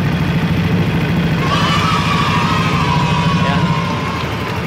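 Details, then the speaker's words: Yamaha NMAX at 58,238 km after piston and cylinder bore replacement for a ticking idle noise: steady smooth idle with even low burble, no tick or rattle from the top end; sound back to normal. "Guys, kita starter. Guys, ini bunyinya sudah kembali normal."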